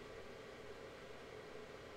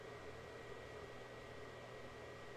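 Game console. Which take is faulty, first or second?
first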